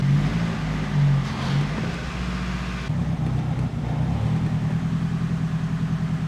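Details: Blown SR20DET engine running for the last time before removal for a bottom-end rebuild with new pistons, rods and bearings. It runs deep, rough and uneven with a lumpy low rumble when blipped, from piston ring failure with heavy blow-by.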